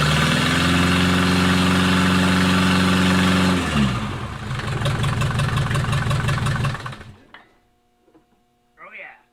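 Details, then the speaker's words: Mercedes 240D OM616 diesel after about 1.5 years sitting and reassembly, cold November restart: runs steady with even clatter, drops to an uneven but smooth idle, slight smoke, then shuts off; sounds healthy. "well i would say it's a success started right back up it actually sounds good smoking a little bit"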